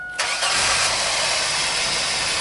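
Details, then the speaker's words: 2003 Chevy Astro 4.3 with intermittent crank no-start and P1626, new battery and fuel filter, about 10°F, on restart showing valid passlock code three: brief crank catching at once into a steady run; normal start. "starts up and get a valid code three okay interesting"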